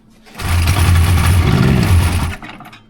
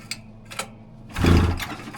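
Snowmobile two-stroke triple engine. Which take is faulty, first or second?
second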